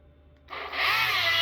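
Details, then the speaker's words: DeWalt palm sander running with a harsh, gritty, strained high-pitched grinding roar after one drywall sanding job of under 1,200 sq ft. The owner blew it out, but drywall dust sucked into the motor has seized it. It barely runs. "Oh! That sounds absolutely terrible. That's the most life I got out of this thing."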